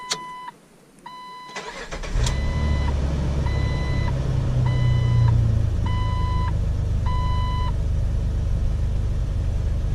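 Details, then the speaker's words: Jeep TJ after replacing the stock catalytic converter with a Walker CARB-compliant cat and new O2 sensors: chime beeps, quick crank, then a steady, even idle with no stumble; felt like missing before, now smooth. "Sounds good, feels good. I don't feel any bumps. It was kind of felt like it was missing on the old one with the old O2 sensors. This one feels like it's kind of smooth."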